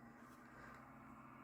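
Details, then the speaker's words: Dell XPS 8500 desktop: quiet, steady rough hum with a low buzz; the power supply fan is worn and noisy and the power supply needs attention. "There's a bad fan in here somewhere. I'm not really sure. It's the power supply fan."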